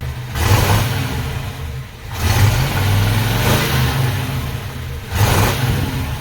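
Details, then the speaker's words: 1968 Pontiac Ventura V8 after a new Amazon universal single exhaust with a Thrush muffler, heard from outside: deep, even burble with clean rev blips rising and falling, no rasp, rattle or leak. Sounds much better and healthy. "Listening to it outside, it sounds way better. Thank you, Thrush."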